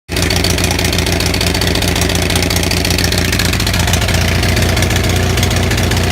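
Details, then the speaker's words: Onan 6500 (6.5 kW) gas commercial generator, missing its muffler, runs loud and lumpy with an uneven, stumbling firing beat, popping and backfiring; misfire traced to a severely fouled spark plug despite spark always being present. "Okay, so if you just saw the video of this running like shit, I don't know if the backfire was coming out in the video."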